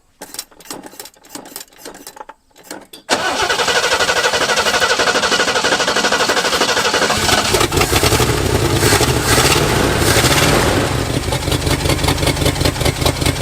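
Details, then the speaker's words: 1971 Lincoln Continental Mark III, sat three months, first start: cranks, catches, runs lumpy and stumbles on revving, missing a couple of cylinders; suspected mismatched firing order, bad plug wire or bad plug. "it does not run great it's missing a couple cylinders it might be mismatch firing order or a bad plug wire bad plug"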